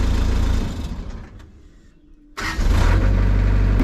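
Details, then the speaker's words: Cat 307SSR excavator diesel, when a little cold, runs loud, sags to a quiet low idle for about a second, then picks back up; fine when warm. The owner can't stop it and suspects a sensor, filter, fuel or hydraulic issue; cause unknown. "When it's a little bit cold, it kicks itself into low idle mode. I can't get it to stop that."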